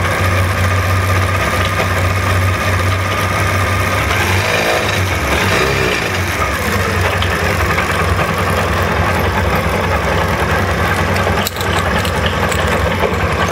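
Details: SMC 250 at idle with the chain rattling: fast, tinny metallic rattle over a steady idle with no change in pitch, like a loose chain clattering.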